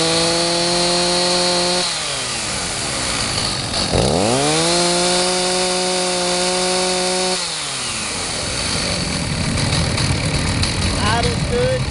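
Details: Stihl 029 Super chainsaw with 20-inch bar and chain, in good shape: a steady crisp idle, a clean quick rev and a smooth drop back to idle with no misfire or bogging; it runs healthy.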